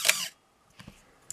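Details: Canon AE-1 Program 35mm SLR with FD 50mm f/1.8 lens, shutter fired while stepping down from 1/1000 s in a pre-sale check. Single release with a sharp, high squeaky edge, then faint clicks: shutter squeal, the "Canon cough".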